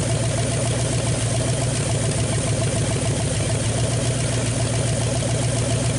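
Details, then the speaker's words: 1959 Ford Galaxie Fairlane 500, off the road since 2010, on its first start in years: a steady rough idle with quick, light lifter tapping over the exhaust. The owner expects it to clear with driving, and there is no smoke. "so here a lifter tapping but you know driving a little bit it'll probably clear up I'm sure"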